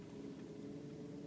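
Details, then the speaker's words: 1999 Volkswagen Beetle (built October 1998) warming up, idling about 700 RPM versus normal 790–900 RPM when warm: faint, slow, even hum with no stumbles; low idle speed but no misfire. "this thing will idle under normal conditions at about 850 RPM um actually anywhere between 790 and 900 is a normal range for that but as you can see we're still well below that range"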